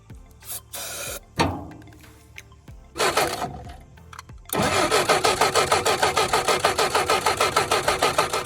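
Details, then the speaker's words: 1967 Jeep CJ5 off the road 23 years, cranking after filing corroded distributor points: even chugs about three a second, never catches; spark tester shows no spark, owner suspects points or bad coil. "nothing so I'm gonna guess it's still something to do with the points it could be that coils bad"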